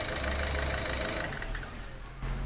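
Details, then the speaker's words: 1.6 HDi 8v diesel, after repair of a knock at idle and acceleration. Revs and drops back smoothly with no tapping or knocking, only a faint turbo whistle; normal running, no tappet knock. "سمعتو الموتور راحت له هذيك الخبطه اللي كانت فيه كي اكسيليري، شغل تاع بوسوار، شغل تا تا تا تا تا راحت عنده"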